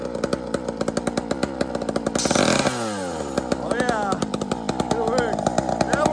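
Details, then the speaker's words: Big bore Husqvarna chainsaw with nitrous added to intake, a little cold: sharp two-stroke crackle climbs steeply to a scream, drops and rises again; normally revs about 16,000–19,000 rpm, sounded over 22,000 rpm; over-revving. "all right so the issue is you heard it was revving right over so this thing already revs that like I think it's like 16 000 19 000 and regular one is like twelve thousand so like it's already runs high that sounded like it was like over 22s RPMs"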